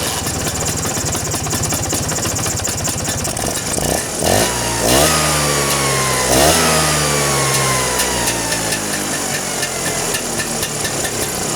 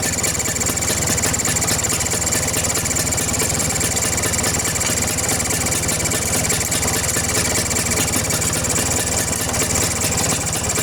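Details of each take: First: Vespa two-stroke engine after tightening carburetor cover to cure a strange noise: steady idle with two quick throttle blips, revs rising and dropping cleanly with no rattle from the carb. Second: Vespa two-stroke engine idling, carburetor cover removed: busy idle with thin steady high chirp, air leak past loose carburetor mounting nuts; tightening the nuts cured it.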